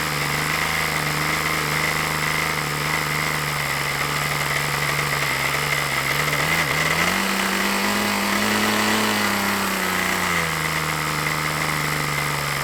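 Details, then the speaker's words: OS LA40 glow engine on an RC trainer plane, first test run of a used engine: steady buzzing tone that wavers and rises, slightly burbly rather than crisp; sounds rich, to be leaned back, cause unconfirmed. "that sounds a bit Rich son you want to wind that back"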